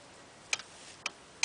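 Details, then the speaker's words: Torque wrench tightening during Honda CRF80F rear brake shoe replacement: three crisp metallic clicks about half a second apart in a quiet room as it releases at the set torque, at least 46 ft-lb. "So what happens is, inside here there's a part that as soon as I get to a certain amount of force on this handle, it will make a clicking noise and tell me that it's far enough."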